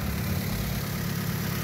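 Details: Vauxhall Astra H 1.4 SXi petrol, 5-speed manual, first startup after fitting a replacement engine: steady, even low rumble with no knocks, misses or ticks; a smooth, healthy idle.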